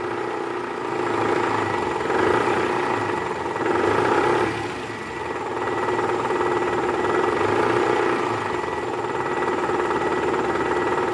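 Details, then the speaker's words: 2012 Toyota Camry 2.5 V, 2AR-FE, 167,000 km, cold start, AC on, in R or D: rough diesel-like clatter swelling with throttle, quieter in neutral, loudest at oil pan; worn balancer shaft, confirmed on teardown. "mesinnya 2arfe ini ada gejala keluhan yaitu suara kasar di area mesin pada saat awal mesin hidup masuk r atau d dan posisi AC on nah bunyinya seperti ini guys"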